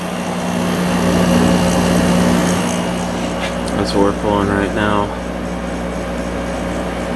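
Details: 6300 BTU Emerson Quiet Kool window air conditioner with Matsushita compressor, running on high during an amp-draw test. Steady low compressor hum under an even fan rush, no knocks or rattles. Normal operation, about 4.95 A and 519 W, cooling well.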